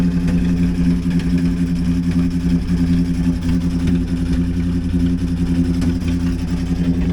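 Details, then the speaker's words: 2007 Jeep Wrangler JK Unlimited Rubicon started after sitting about a year, loud low lumpy idle with irregular beat and uneven firing; bad noise from the front area on one side, owner unsure if rod knock, not rhythmic. "She's got a badness to her. Let's see if I can't figure out which one it is by pressing the manual. Ooh, that's... that one, the front one on this side. Yeah, something sounds really bad down here."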